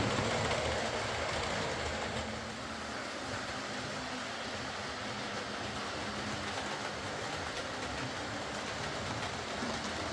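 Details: Old Lima Class 40 model locomotive in BR green, originally dead with front bogie issues, now on a completely replaced motorised chassis; steady quiet motor hum under faint wheel clatter, even and unbroken, no surging or stalling, low current draw, healthy running.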